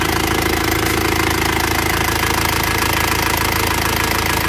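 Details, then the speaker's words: Isuzu Panther diesel after repair for heavy oil consumption, warm idle with busy rattly valve ticking about 160 a minute; valve clearance too loose, needs adjusting; injection pump and nozzles still to be serviced. "Ini sudah kita coba, tapi rasanya ini masih perlu setel klep lagi, suaranya agak kemeracak klepnya."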